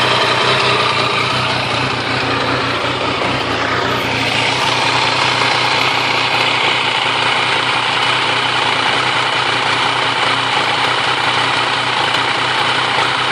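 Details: Triumph Tiger 885i at idle: uneven, lumpy beat with sporadic hiccups and stumbles that occasionally cause stalling; rough idle, cause unknown, owner hopes TuneECU will pinpoint it.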